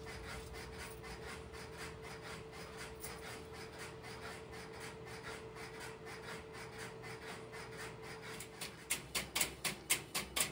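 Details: Idle step-by-step (Strowger) telephone switch heard from the next aisle, no calls placed: faint steady interrupter relay clicking about four per second, at reduced level, growing crisper near the end; normal idle operation.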